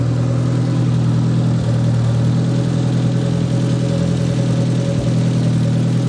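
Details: "!200" engine idling with exhaust cut: low steady idle with uneven pulsing and brief dips near 1.6 and 5 seconds. Alternator 14 V, owner doubts a bad sensor. Stumbling misfire, cause not found.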